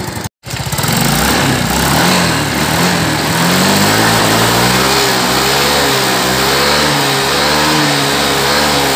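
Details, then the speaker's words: Yamaha Mio M3 scooter that was noisy and rough at the head (suspected worn tappet/rocker or camshaft), after repair: clean, even rev that climbs and holds smoothly with no ticking or clatter from the head; engine sounds healthy. "Nah itu ya ketemu langsung halus suaranya ya langsung halus suaranya disini"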